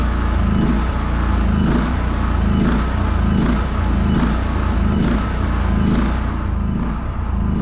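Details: New WEN 56380i 3800-watt inverter generator at first startup from unboxing: steady, even low drone with a soft pulse about once a second, no knocks or misses; healthy running.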